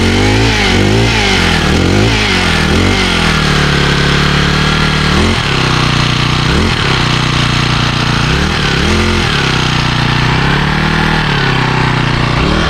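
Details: 2012 Honda HHT35s trimmer with a 35cc four-stroke on Pennzoil 10W30, cold started on choke after priming about three times; smooth, even firing, blips up and settles to a steady idle the owner likens to a minibike. Runs great, quiet and powerful.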